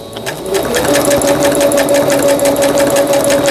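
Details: Singer Stylist 7258 sewing machine after repair of an E4 stop-mid-sewing error, a misaligned lower-shaft gear, a sensor fault and a slipped timing belt; quilting-pattern stitching gives even chatter at about three stitches a second over a steady motor whine, with no stop. Normal.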